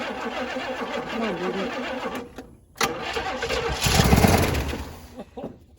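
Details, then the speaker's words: 1966 Pontiac Grand Prix, 389 V8 with a four-barrel, sitting since 1992: steady starter cranking at about four turns a second with weak, ragged firing that never catches. Fuel starvation from a clogged fuel filter and contaminated old fuel. "oh maybe the filter stopped up I think I found the problem you tell me look at that dude right there that's not gasoline so we got a little work to do then we'll hear it run"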